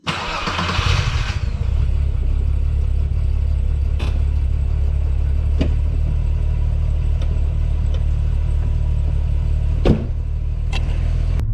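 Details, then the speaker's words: 12v VR6 Jetta wagon after refresh, stalled on clutch-in then restarted: brief crank, low steady idle with a few light knocks; owner suspects empty fuel filters and throttle body re-adapting. Stalling then restarting. "a second there as soon as i wanna clutch in the car want to shut off um but now it's good i think between the fuel filters being empty and then also the carping off maybe the throttle body had to re-adapt"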